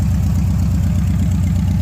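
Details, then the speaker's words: 1971 Chevrolet C10 V8, warm with hot exhaust manifold, after plugging an open vacuum port, adjusting carburettor mixture and raising idle; deep, loud, even lope with no misses or knocks, running fairly decent. "I adjusted on the on the mixture a little bit and I bumped up the idle and I gotta running fairly decent"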